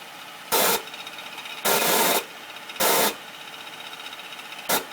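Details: 2009 Acura MDX idling after A123 service, making harsh rasping bursts about once a second, uneven in timing, over a faint high hiss; intermittent rubbing or rasping noise.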